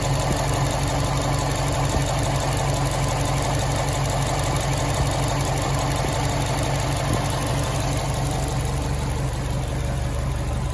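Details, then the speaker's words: 2006 Subaru STI, stage 4 clutch, Aeromotive AFPR, catch cans, new intake, after fouled spark plugs replaced to cure cylinder 4 misfire: even low burble at idle, no stumble or skipped beats over about eleven seconds; normal idle. "no roughness in cylinder four no more."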